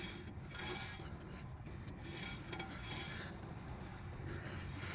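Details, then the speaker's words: Travel trailer (2022 Coachmen Freedom Express) electric drum brake after a wheel bearing service and shoe adjustment. Faint, steady scraping rub as the wheel spins by hand. Properly adjusted, with light shoe contact that will wear in. "Here we got just a tiny little bit of drag in there. This gear doesn't move a lot. That's a little better."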